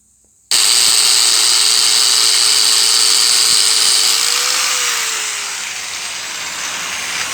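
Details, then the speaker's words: Yamaha TMAX 500 second-generation front wheel spun by a grinder: faint steady mid-pitched whine that rises then fades, heard above 40 km/h; bearings look fine, speedometer sensor refitted and lightly greased, noise reduced but still slips through intermittently. "поставил датчик на место немножко смазал двое такого нет но все равно это проскальзывает звук"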